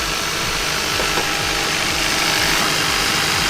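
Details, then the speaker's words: Kia Ceed GT with a cold-start misfire, coolant temperature sensor unplugged: even, steady idle with no stumbles, ticking over fine, no misfire; owner suspects the coolant temperature sensor is involved in the misfire. "with the coolant temperature sensor being unplugged this car currently doesn't Mis fire so I've got to eliminate everything so this shouldn't now miss fire which it isn't that is ticking over absolutely fine"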